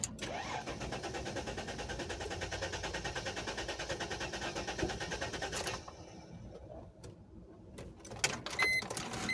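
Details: 2005 Mercedes ML350 bought from an auction lot, battery known dead and jump-started at the yard: about six seconds of rapid, even cranking, then the starter stops without firing; the next try starts and runs well.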